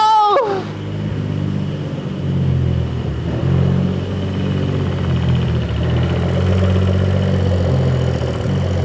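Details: 2011 BMW 535i xDrive F10, N55 engine just rebuilt and reinstalled, first start after tightening a loose transmission ground: starter whirr, engine catches and settles into a steady idle with slight wander; clean start, no oil leaks, running normally.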